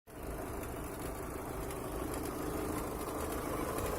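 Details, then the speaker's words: Opel Astra G 1.6 idling: an uneven knock about three per second, heard from the timing-belt side and the lower left of the engine, started after an oil change to 5W40. Nothing seen under the timing-belt cover. Owner suspects a loose metal piece, bolt, pump impeller or bearing; cause unknown. "такой вот дебильный стук со стороны ремня грм такое ощущение что кусок металла или болт где-то барахты"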